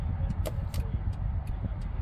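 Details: 2013 Toyota Land Cruiser 200 Series, 228k miles, inside the cabin: light steady clicking about two per second over a low rumble as the turn signals are tested; indicator flasher works normally.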